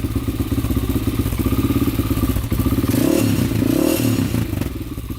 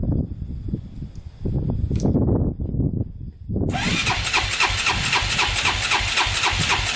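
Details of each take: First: 2001 Honda 400EX quad after a new stator, rewiring and re-routing the idle adjuster, with the choke off: single-cylinder thumping at a low, slightly uneven, settled idle with some clatter and a little smoke; normal idle. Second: 2001 Honda 400EX, first start after a new stator and rewiring: single thumps fast and even, never dropping to a proper idle, throttle hanging open, otherwise sounds good; high idle, throttle stuck open.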